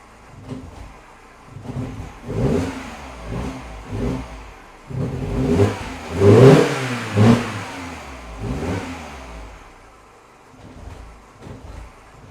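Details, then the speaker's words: Mini Cooper R56 petrol engine, cold start: uneven throttle blips about once a second, revs stumbling and popping, a cold misfire that clears after a mile or two; engine also stalled once on start. "yesterday actually i had one of the owners here and it was accelerate and it was popping and banging and all that"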